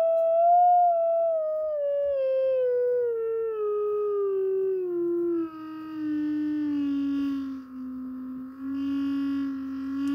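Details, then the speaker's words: Rogers LS3/5a woofer from a badly overdriven speaker, downward sine sweep: gritty, buzzy, trombone-like distortion throughout; spider, surround and cone look fine, so the voice coil is suspected overheated, lamination cooked, full of muck. "I think the voice coil's got hot, the lamination has kind of cooked up a bit, and it's full of muck."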